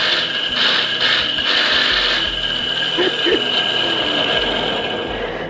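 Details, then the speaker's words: Nasional electric water pump not raising water: a harsh, rattly grinding with a steady high whine when switched on; worn bearing, front and rear bearings to be checked and replaced, seal also to be replaced. "Soalnya kalau kasar kayak gini kita harus ganti bearing"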